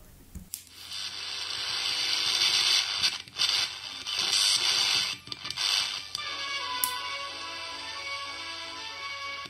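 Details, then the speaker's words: Emperor AIE-641 1970s single-battery radio. Audio was very faint because the 10 µF capacitor at the power-amp audio input stage was open. After replacing it, music plays clearly with no hum or crackle, fed from a home AM transmitter. "Now we have audio There is no MW broadcast nearby, so I'm using my own AM transmitter"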